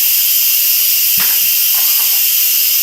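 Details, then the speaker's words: Instant Pot after a completed pressure cook, pressure valve opened: a loud, steady high hiss of steam venting evenly with no spitting, a normal pressure release. "Okay, I'm gonna open the pressure valve. We're gonna let that steam shoot up."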